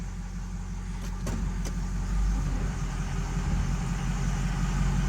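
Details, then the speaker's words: 2006 Ford F350 6.0L Power Stroke diesel, started after new alternator, cheap aftermarket air intake and filter, MAP hose and EBP sensor work: steady, even low idle rumble with no knocks or misses, though owner feels it lacks power uphill. "there we [Music] go see to me the engine sounds good"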